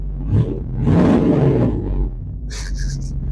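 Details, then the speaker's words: Tahoe cold start, coolant 38, heater off, fuel pump primed, unfinished exhaust: deep loud rumble holding a raised steady idle with some roughness — loud cold-start high idle, fired up no problem. "Because it is loud. It is loud, loud, loud. How are we doing here? Idling pretty high. That's loud."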